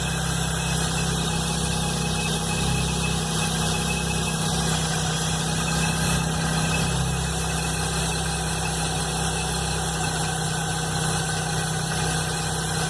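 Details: Chevrolet Blazer engine at idle, noise began the morning after the timing belt and upper belt were replaced: steady idle with an uneven low rumble and a faint irregular knock; source unknown.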